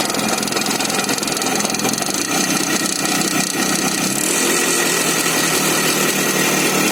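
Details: Izh Jupiter 5 two-stroke motorcycle engine just after starting; busy, uneven knocking rattle running through the exhaust, an engine knock of unknown cause.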